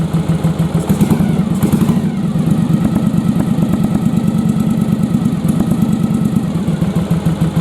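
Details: Yamaha Virago bobber V-twin at idle: a lumpy, stumbling beat as one cylinder keeps cutting out, firing only when revs rise; an intermittent misfire from a fouled spark plug, not the carbs.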